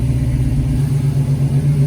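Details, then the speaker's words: 1970 Dodge Challenger with swapped 5.7 Hemi, Holley Terminator X ECU, long-tube headers, dual Flowmaster mufflers; deep loping cam idle holding steady on its own with good oil pressure, no stumbling; normal idle with cam lope. "Got good oil pressure. And it's actually idling. It's idling on its own. That's awesome."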